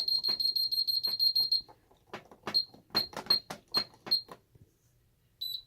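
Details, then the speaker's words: Ademco 6139R alarm keypad after power-up, busy standby: fast string of shrill beeps about three a second, then clicks and one more beep, trouble signalling for zone faults and phone-line fault. "We'll go ahead and give it a minute here to start yelling at me with its beeping. It'll take it a little bit to start doing that, but I'll get there eventually."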